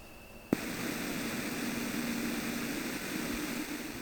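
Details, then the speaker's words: Toshiba Aurex AX-WSS60 compact system in AUX mode, nothing connected, amplifier and volume at maximum: steady low hum with hissy wash from the speakers; the unit itself is noisy, present in every mode. "ライン入力に何も接続していない場合でも、スピーカーからかなり目立つハムノイズが出ていることがわかりました。"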